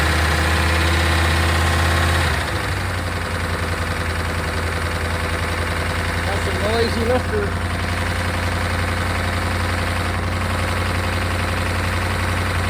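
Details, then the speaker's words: 1992 Chevrolet Caprice wagon parts car, sat in a field, thought seized; oil nearly new, about a quart low. Rough idle with fast, fairly even ticking about 3–4 per second, getting louder on restart; owner suspects lifters, unconfirmed. "see if we can uh fire back up and get those lifters to quiet down uh that sounds a little louder gun lifters very"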